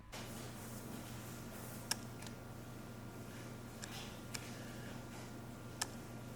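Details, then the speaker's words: Tamron 24mm F2.8 OSD M1:2 lens for Sony FE during video focus pulls: faint, sparse light clicks over quiet room hiss as the OSD focus motor begins to drive focus. "So as you can see, you can hear some light clicking at occasions when making those focus shifts. Something about, as it begins to drive focus, there's a little bit of a clicking noise from that OSD,"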